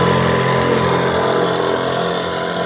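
Smooth, constant small-engine drone holding a steady speed with no misfires, rattles or surging; the sprayer engine is running healthily.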